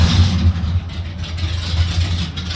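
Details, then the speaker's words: 1980 Jeep CJ5, timing set with a timing light; a tap of the starter catches, then a steady deep even idle with a firm low beat, no misses or knocks; noisy but healthy normal idle. "Now they got a that thing is noisy. He sounds good though. Huh, that's noisy."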